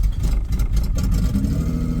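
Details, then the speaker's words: Honda Odyssey, 208k, started on a jump pack: catches and settles into steady, even idle with smooth low rumble, no knocks or misses; runs healthy. "oh yeah sounds good that's a Honda for you"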